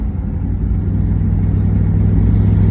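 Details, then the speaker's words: LS-swapped OBS short-bed truck, first drive after the swap, no mufflers fitted: loud deep open-pipe V8 rumble, steady and even with no misses or knocks; runs well. "whoo baby she runs good gotta get some mufflers on her now"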